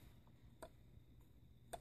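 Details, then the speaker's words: Sunbeam Mixmaster 12 mixer after repair and lubrication; two crisp, distinct clicks about a second apart in a quiet room, off-switch detent engaging properly, which had not worked before because the switch contact had snapped off. "You hear that click? There's a detent in there, and that needs to work. That's what didn't work when I got it."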